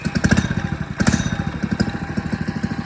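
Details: FRP GMB100 99cc 4-stroke mini dirt bike, kick-started, switched off choke to run and left running 10–15 minutes for break-in. Quick, fairly steady single-cylinder putter with slight early unevenness: normal idle.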